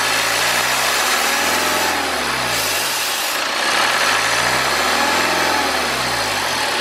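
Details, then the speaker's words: BMW 520d with N47 diesel, bonnet open, revved into boost around 2,500–3,000 rpm: revs swell and a loud airy hiss climbs with each rev. Boost leak on the charge air pipe from the intercooler bottom to the anti-surge valve on the intake manifold. "we can see that we have an air leak we have a boost leak essentially and it is leaking on the charge air pipe"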